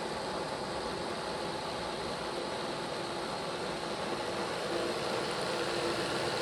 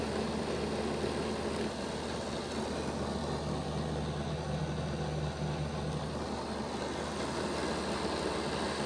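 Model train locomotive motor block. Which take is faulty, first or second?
second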